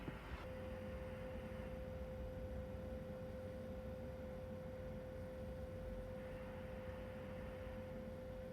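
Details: Kenwood TS-440S with the voice module removed; as aging components dry out, the audio amplifier puts out a steady low buzz with a fixed roughly 400 Hz sawtooth tone through the speaker. The fix is removing the connector on the wire labeled 3: audio amplifier buzz.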